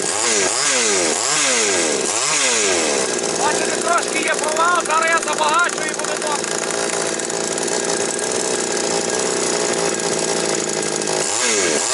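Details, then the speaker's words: Chainsaw previously with hunting revs and stumbles, carburetor not responding to adjustment, now running after repair: revs climb and drop cleanly, then hold a steady, even high-speed note with no hunting; a slight fuel-needle issue at max revs remains. "Ну, бачите, працює добре."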